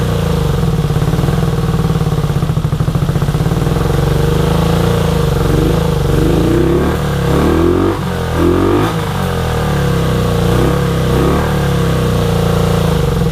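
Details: 1983 Honda VT250 V-twin, about 63,500 km, just revived project bike: even throbbing idle climbing cleanly through several blips and settling smoothly, no knocks or rattles; healthy, though it needs a tune-up.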